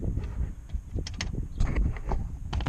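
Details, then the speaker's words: Knuckle taps on the door panel of a 10th gen Honda Civic Si stop dead with no buzz or rattle, after damping behind the panel to fix vibrations from aftermarket speaker wiring; panel quiet apart from one spot. "yeah that's pretty dead other than this part here"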